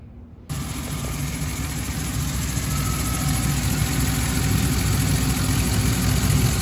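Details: 2013 Chevrolet Tahoe after heater hose replacement: engine fires and settles into a smooth, even low idle rumble with no ticking, knocking or squeal; heat already coming out, running normally.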